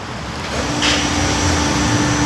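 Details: Toyota Avanza that shook and stumbled after driving through floodwater, new plugs didn't help; after cleaning the clogged injectors, it idles, takes a quick blip and drops back to a smooth even idle with no stumble, white smoke from water clearing.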